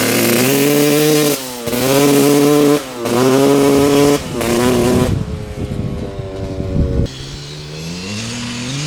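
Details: 1995 Honda CR250 two-stroke dirt bike riding after fitting a new spark plug, old plug dry: revs climb then stumble and flatten; bog persists, rider suspects running lean.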